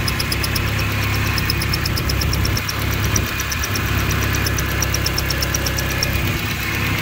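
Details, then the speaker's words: Honda CRX at idle with a newly installed second replacement distributor and valves still awaiting hot adjustment: fast, sharp, evenly spaced ticking on top; owner suspects the new distributor, not confirmed. "we got to hunt that down sound that sounded like that new distributor it is I'm glad I'm recording this"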